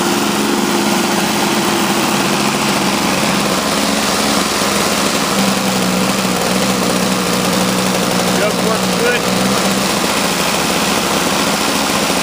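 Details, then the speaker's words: Toro CCR Powerlite single-stage snowblower, two-stroke, running cold at about 28°F after sitting outside half an hour; about 120 psi compression after a fuel system rebuild, new spark plug, intake gasket and primer line: steady even buzz, no misses, surges or knocks. Normal running. "he was running great no problem"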